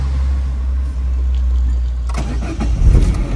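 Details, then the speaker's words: French Peugeot 207 with timing chain, at start-up and idle: quiet steady low hum, no rattle, faint chain noise; much quieter than the Iranian 207 Type 2; normal start and idle. "به همین راحتی صدای خیلی کمی داره نسبت به تیپ 2 ایران، چون فکر می‌کنم رقیبش میشه 207 همون 1400 که تیپ 2 استفاده میشه."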